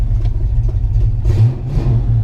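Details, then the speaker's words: Two-owner 1989 Mustang GT Fox body V8 after transmission install, tune-up, new clutch and new heater core: a strong low rumble that swells with a throttle blip and stays smooth. It runs healthy, and the exhaust rattles slightly. "the two-owner 89 GT all tuned up with a new clutch also has brand new heater core but as you can hear she is happy and healthy"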